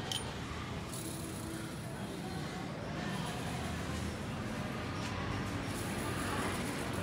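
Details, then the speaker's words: Yamaha Sirius 110 Fi motorbike with nearly 260,000 km, after engine rebuild: idles with a steady, even patter and no more knocking (cọc cọc) that the worn engine previously made; normal idle. "Mình làm lại nó không còn kêu cọc cọc nữa nha Đây Thấy không đúng zin nó là nó chuẩn nó không có kêu"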